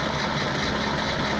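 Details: Peugeot pedal moped two-stroke, laid up since 1997, after restarting: steady buzzy idle, no hunting or dropouts, healthy.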